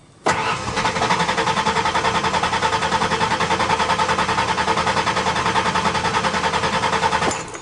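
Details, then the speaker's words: 1992 Ford Ranger 3.0L fuel-injected V6, fuel pump connector unplugged to relieve line pressure before fuel filter replacement; steady starter cranking about 3.5 pulses per second for seven seconds, no pump sound, never catches: crank no start. "I'm going to turn this on notice that you don't hear the fuel pump and it's not going to start of"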